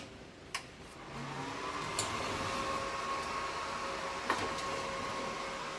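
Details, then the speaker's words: Tork CAB-50 plasma cutter that won't cut, torch not striking an arc: cooling fan spins up into steady hum with air hiss and a few sharp clicks; fault said to be air compressor/low pressure; air hiss with fan running, low air pressure symptom. "Her defects are related to Compressor."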